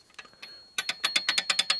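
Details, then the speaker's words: 1946 Harley Knucklehead 84ci stroker engine being rebuilt, turned by hand in the cam chest. Crisp, even ratcheting clicks about nine per second come from loose gear backlash. "A lot of backlash and then gears."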